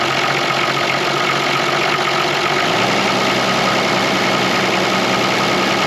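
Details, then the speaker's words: Toyota Land Cruiser HJ75 diesel, about 200,000 km, parked a decade on a dairy farm: slow, lumpy idle that sags lower, idle speed set too low at the throttle stop screw. "toally very low just a little idle screw there you see this there that little screw screws out onto that throttle plate and just holds it open"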